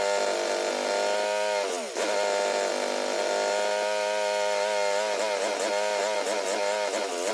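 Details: Craftsman GT6000 garden/snow plow tractor at 26°F: engine hunts and surges, pitch dipping and recovering each second, lean and needing choke; stalls beyond half choke; owner blames gas left in carburetor all year without a fuel shutoff.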